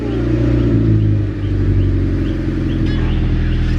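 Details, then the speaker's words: Honda Civic wagon (D15B2) after a tune-up: new plugs, borrowed spark plug wires replacing bad ones that caused misfires. Starts right up to a deep, steady, even idle, no misses. Heavy smoke, which the owner suspects is oil that drained into the cylinders. Normal idle. "Started right up. That's good. Sounds good. Okay. Sweet."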